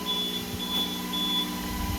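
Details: APC 3000 UPS units, 48 V system, after swapping 16 batteries, unplugged from the wall while powering an Arista 7050 switch and Dell R620 server: short high beeps about every half second over a steady fan hum; on-battery alarm.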